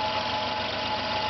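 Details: Compressor running: steady rough hum with a thin whistling tone, strange noise as pressure rises; one side cold, other side hot; abnormal compressor running noise, cause unclear.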